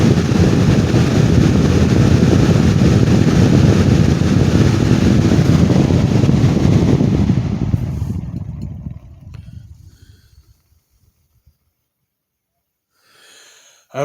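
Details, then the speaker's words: 2019 black Lasko Cool Colors 20-inch box fan, shaft not loose: a loud steady roar with an uneven pulsing wobble around three beats a second as it winds down and stops quickly; the owner speculates the blades aren't self-centred, a balance issue. "it would appear that the blades are not uh very well uh self-centered uh on the fan that is my only uh my only speculation of this"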